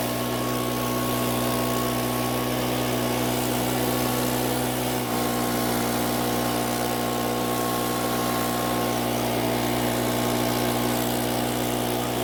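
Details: Makita four-stroke handheld leaf blower, previously would not start (lost carb part), test-run after oil change with oil topped past dipstick midpoint: steady even purr at idle with no misses or surging. Quiet at idle; runs healthy.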